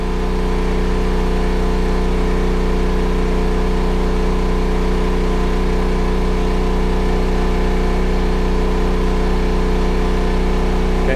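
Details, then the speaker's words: Backup generator running a battery charger in full charge mode, bank at about 26.5 V, expected to rev up slightly as load drops at 28.2 V float: steady even engine drone at constant speed, no misses or knocks; normal running under load. "Once it gets to 28.2, you'll hear the load decrease on the generator, and it'll rev up a little bit, but it'll switch over into float mode."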